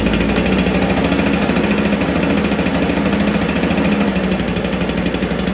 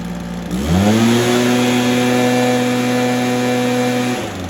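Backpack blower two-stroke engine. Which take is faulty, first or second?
first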